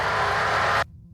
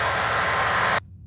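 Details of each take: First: UTV intercom after its Vox (voice-activated) setting was turned up while driving: engine roar through the headset cuts off abruptly to near silence within a second. The mic now closes properly and opens only on speech. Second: UTV intercom with its Vox (voice-activated) setting too low: while speeding up, road and engine roar drops out, then cuts back in louder with no one talking. Engine noise is opening the mic; the fix is raising the Vox setting.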